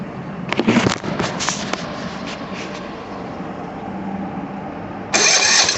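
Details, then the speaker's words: Small mower engine with a Tecumseh carburetor, just replaced with a new one after the old carb went bad; gas line reconnected. Quick firing bursts catch into an even patter that picks up strongly; it starts and runs healthily after the repair. "Release the pressure. Go back into there. And the 60 runs."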